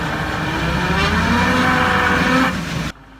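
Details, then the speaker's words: Vehicle at speed: steady, slightly wavering howl over road noise that grows as speed increases, from pitting on the differential gear tooth flanks; excess friction or lack of oil can cause this. "se observan como picaduras y pozos en el flanco del diente esto también suele presentar un ruido molesto sobre todo cuando la velocidad del vehículo va aumentando un ruido Como este"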